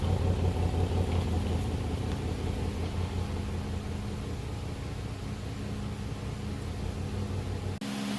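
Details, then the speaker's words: Nissan 300Z at idle: uneven, lumpy, stumbling beat about three a second with a dropped pulse, a dead miss on one cylinder; owner suspects the injector power wire (wiggling it near the ECU worsened the miss) or failed injectors. "As you guys can hear, the 300Z has a dead miss. Like I said, it's either the wire, the power wire to the injectors, or the injectors just kaput."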